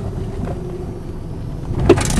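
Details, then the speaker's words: 1991 Honda Accord, cold: low idle, then sharp pop and second knock from driver side wheel well each time throttle is jolted or accelerating hard. "That's the noise I'm talking about. It's that pop. See, there it is again. Yep, that's it. Just when I give it a jolt of gas."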